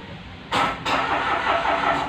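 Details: Mitsubishi Mirage G4 that stalled and won't start, starter spinning the engine evenly for about a second and a half during fuel pump testing; cranking sounds normal, no dragging.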